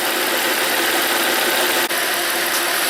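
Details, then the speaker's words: Volvo 3.2L I-6 after power steering pump replacement, reservoir fluid no longer foamy: steady even idle hum with light smooth hiss, no pump groan or whine; original whining fixed. "like we've successfully diagnosed and fixed that whining sound."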